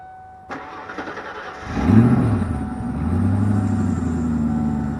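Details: 1991 Ford Crown Victoria, started with muffler removed: starter whirr, engine catches and settles into deep, open, throaty idle with extra exhaust rumble; loud exhaust from missing muffler.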